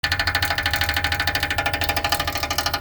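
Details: DIY MrCool mini-split outdoor unit: the fan blades strike packed ice, giving a fast steady rattling knock over the fan hum. Fix: clean filters, run cooling mode at 62°F for about an hour to thaw; may need refrigerant.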